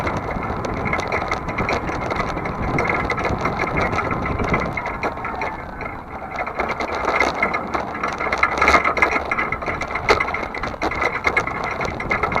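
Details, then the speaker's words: Vehicle towing a trailer, frame repaired with a T-rail, on a cool October day: steady driving rumble with light rattles over bumps and no creak from the previously creaky hinge; owner guesses cooler temperatures let the joint slip better. "But not a single noise out of it today. Dead silent."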